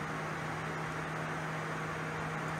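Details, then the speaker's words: Project Redfire electric cooling fan on junkyard Ford controller module run by MS3Pro, ramped from 50 to 100 percent: steady even rush of air, low hum, no rattle or wobble; healthy at full speed. "this controller's output a very high frequency that runs the fan super smooth so let's go ahead and bump that up i don't know let's do like say 50 percent you can hear it ramping up and just for uh completeness we'll bump it all the way to 100 power you can hear"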